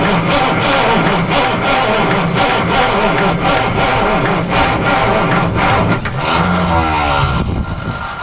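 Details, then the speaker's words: Truck sat 9–10 months, cranked in cold, snowy weather after loose starter wires were found and with weak batteries: starter churns steadily at about four turns a second but the engine never catches; crank, no start. "it has been way too long for this little girl she is not happy of course it's not real warm out either"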